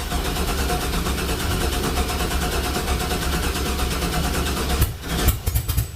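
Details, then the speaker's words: LS-swapped 1965 Chevrolet C-10 with drive-by-wire throttle, in winter: engine catches and settles into steady, even idle with a few throttle blips; it runs, nothing amiss. Normal running. "Well, what do you know? It runs. Pretty damn cool."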